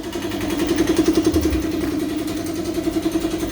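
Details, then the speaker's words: Honda Karisma motorcycle after carburetor service: idle is surging and uneven with the speed wandering, though it revs fine with throttle. The mechanic confirms the automatic (vacuum) fuel tap is leaking and must be replaced. "sudah dipastikan pada bagian keran bensin keran otomatis yang ada di bagian sini itu mengalami yang namanya kebocoran"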